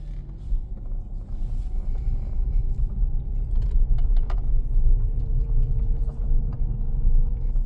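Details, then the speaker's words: 2007 Mercedes E350 after an engine rebuild for knocking, idling while warming up: deep, even rumble, no tapping or knocking, no smoke; normal idle. "Sounds pretty freaking good. Also, no smoke. >> I hear that it's not knocking. >> It's freaking sounds amazing."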